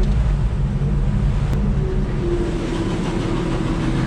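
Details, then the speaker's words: 1966 Ford F100 with 300 six-cylinder and 4-speed, engine-driven onboard air compressor running at idle: steady low rumble with a tone creeping upward as the belt-driven compressor builds pressure; working, clutch in shuts it off. "making pressure now oh yeah not a ton but what we need for pumping up tires"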